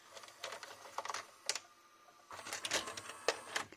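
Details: JVC HR-J756MS VHS deck (1998) that had been left outside and got water damage, shown after repair: crisp clicks and brief whirring bursts as the deck loads and spins, even and free of scraping; all functions working normally.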